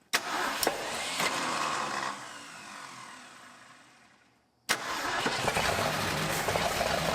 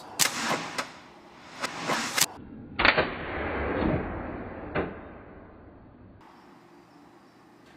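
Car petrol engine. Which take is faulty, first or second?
second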